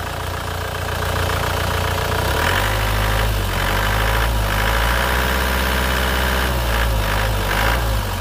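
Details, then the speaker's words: 2012 Isuzu Panther LV 2.5 turbo diesel, engine bay open: smooth even diesel clatter at idle, short throttle blip and back to steady idle, no smoke from dipstick tube; engine sounds normal and clean. "suaranya masih cami masih enak"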